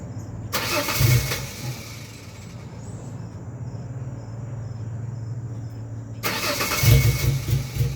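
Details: 2001 Ford Ranger XLT 4.0 V6 in the morning (cold), despite a new fuel pump, injectors, plugs, wires, coil pack, regulator and crank/cam sensors: the starter churns in bursts for about a minute without catching. Cause unknown.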